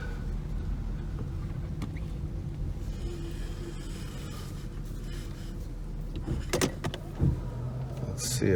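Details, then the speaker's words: 1991 Mercedes 500SL R129, 38,852 miles: idle rumble with sharp clunks as the wheel turns while parked, seemingly from the passenger side; steering clunk at low speed, steering wheel off center, cause not yet known. "I believe it's coming over from this passenger side um there's a steering wheel off center let's listen to it I don't like that noise"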